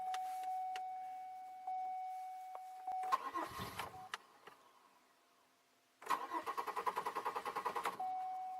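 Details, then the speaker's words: 2002 Chevy Malibu, sat four months, start/no-start fault: engine brought to temperature, shut off, restart tried; two bursts of quick even cranking, about three turns a second, never catch; no check engine light, anti-theft ruled out, cause unconfirmed. "I was hoping something would change. But it didn't."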